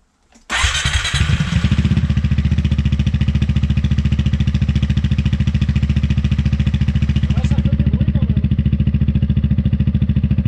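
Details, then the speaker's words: Piaggio MP3 500 scooter after fitting a Dominator exhaust with a remade baffle in place of the rattling original: it fires up with a sharp burst, then settles into a steady, deep, even idle. The internal "gling-gling" rattle is gone. "Mais voilà, maintenant il est monté. Ça fait joli, ça fait propre. Et puis il n'y a plus de bruit de gling-gling à l'intérieur."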